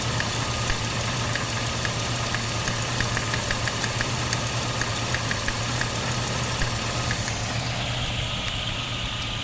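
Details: 1995 Jeep Cherokee XJ petrol six idling unevenly, low hum broken by irregular ticks and stumbles; misfire from a cracked spark plug, cylinder #4 (title says #5).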